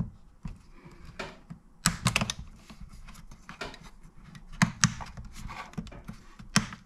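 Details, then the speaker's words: Henry Hoover vacuum power switch after repair, fur on contact cleaned and switch reassembled: crisp clean clicks at irregular intervals with no sponginess or drag; switch working properly. "the switch sounds good so there's no no sponginess in there so we must have put it back together well"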